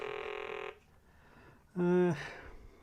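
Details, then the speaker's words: 1980 Milton Bradley Super Simon on batteries, first power-on test before repair: the tone comes out rough and buzzy, then a lower wobbling croak instead of a clean beep; sound faulty, and one button is not pushing. "That's clearly not sounding very healthy, is it?"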